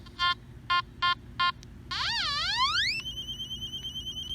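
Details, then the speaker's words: Nokta Makro Anfibio metal detector: four short beeps then warbling tone sweeping up into a steady pulsing tone; overload signal over a large chunk of metal. "you get over low signal sometimes it's some big chunk of metal something like that"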